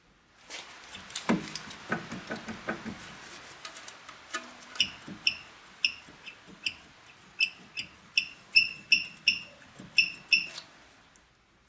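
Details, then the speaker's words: Mitsubishi Outlander front outer tie rod end, wheel rocked side to side: sharp metallic clicks about three times a second from play in the worn ball joint; tie rod end worn, needs replacement. "there's a ball joint in those tire rod ends they wear out and they get play in it where the tire will have side to side movement"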